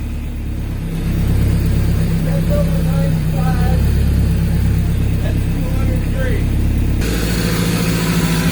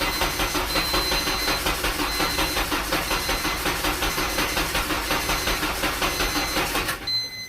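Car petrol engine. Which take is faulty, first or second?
second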